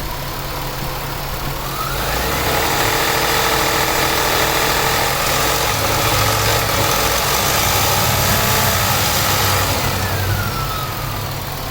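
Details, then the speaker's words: 2000 Nissan Maxima, 203,000 miles, warmed up: engine hum rising with revs and a rough grinding knock underneath, louder when accelerating above 2,000 rpm. Owner suspects the timing chain and rules out the AC compressor and the new alternator; cause unknown. "notice that does it the noise is louder when you accelerate above 2,000 rpm"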